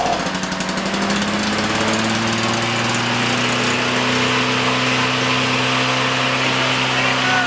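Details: Abandoned commercial-grade Canadian-made lawn mower from the dump, revived: crisp, even two-stroke buzz holding steady revs with no misses, surging or knocking; the engine runs cleanly.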